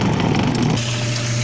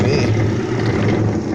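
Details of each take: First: Washer tub (tanquinho) motor after replacing a loose, seizing bearing that had jammed the motor with loud noise: steady, even low hum with no grinding or knocking, running normally again. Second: Discarded twin-tub washer (tanquinho): loud rough electric hum as motor strains but won't spin; loose motor bearing seizes and locks the motor, fixed by replacing the bearing; seized motor bearing causing stalled motor hum.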